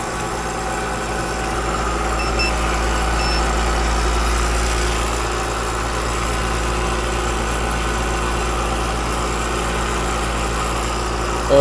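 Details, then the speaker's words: Home heat-pump AC outdoor unit with an Alliance scroll compressor: loud, rough drone under steady fan rush, a harsh scroll-plate noise; gauges show almost no refrigerant, and tracer refrigerant is then added. "That just sounds like the scroll plate. I've seen it happen a lot lately on these run-throughs with Alliance compressors, and just too much liquid getting back. These compressors are just wussies."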